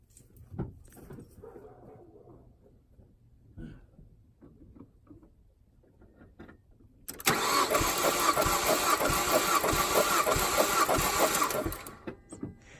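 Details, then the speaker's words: 2008 Mazdaspeed3, cold engine during compression test, cylinder 1 cranked: starter turning about three beats a second with weak, uneven pulses and no catch; little or no compression audible in that cylinder. "but you can even hear that one is threatening before that it just not even doesn't do anything it doesn't do anything you cannot hear the compression in the head"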